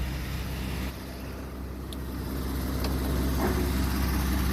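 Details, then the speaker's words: 75-year-old car being revived, choke in use, driving in first gear: low, steady engine hum under road noise, rising gently and smoothly with no misses; not smoking too badly; throwout bearing squeal noted earlier. "listen that baby purr not smoking too bad"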